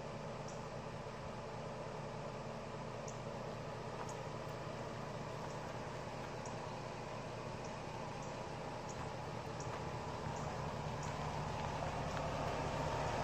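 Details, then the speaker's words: LS engine after a top-end rebuild with a Comp Cams 54-525-11 cam and Evolution hydraulic roller lifters at 38 hours, replacing noisy 8957 lifters; recorded standing near the truck. Quiet steady idle with only a faint top-end tick, lifter noise now normal. "and at this point the lifts are noise you have to listen hard for it but at least you can't hear it coming down the road a quarter mile away"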